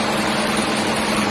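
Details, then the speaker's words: Freshly rebuilt Ragasa 120PS diesel, valves set to 0.40, first run after assembly: steady, even hum with constant low drone and no knocks or ticks; idles smoothly. "Oke, untuk langkah selanjutnya kita coba hidupkan mesinnya ya. Mesinnya sudah hidup"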